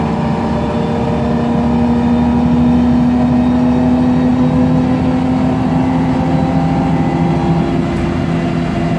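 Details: MAN Lion's Classic CNG city bus (code 07-527), MAN E2876 LUH03 EEV turbo engine, Voith DIWA 864.3 4-speed automatic, pulling away under load: a steady whine of about 200 Hz over the engine, with a noisy Voith gearbox and slight differential whine.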